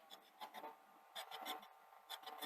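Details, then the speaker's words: Sony SL-HF950 Super Betamax playing a blank cassette: rasping scrape in bursts about once a second from the take-up reel area; owner suspects worn plastic at the take-up reel base, which rocks more than the other reel. "So you can hear there what's going on. I can stop the noise. Now, part of me is wondering if the plastic at the base of the take-up reel is bad, because there seems to be a little bit more movement on this one, sort of rocking it back and forth this way, than this one."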